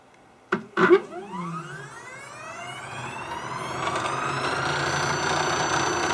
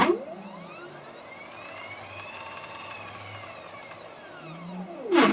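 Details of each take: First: MDF CNC router on a new controller, fast seek move: stepper whine sweeps up, holds and back down with a buzzy rattle and vibration; owner suspects a bent lead screw or lead screw whip, possibly a loose bearing; axis rattle at high feed rate. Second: Homemade MDF CNC router stepper axis on a new controller with a higher-voltage power supply, quick seek after maximum feed rate found to be about 60 inches per minute: a smooth whine rises, holds steady and falls as it stops; normal stepper seek.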